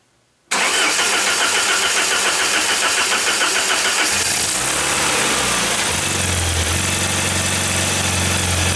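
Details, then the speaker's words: 1994 Saab 9000 after injector service and plugging a vacuum leak from failing secondary air injection one-way valve, with new battery: engine catches right away and settles into steady even idle with no stumble; sounds better, new tappets for number four still planned. "well that sounds better i still have four new tappets for number four i'll probably install those anyway"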